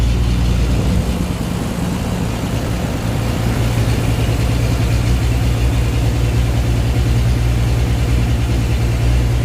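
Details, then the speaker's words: 12-valve Cummins diesel truck after new injector install and bleeding lines: deep uneven, lumpy clatter that never settles, still smoking badly, moving the pump changes nothing; owner suspects the injection pump needs replacing. "okay guys if you can hear me she's still smoking real bad and i go over to the pump doesn't really change anything i'm going to say we still have a pump problem"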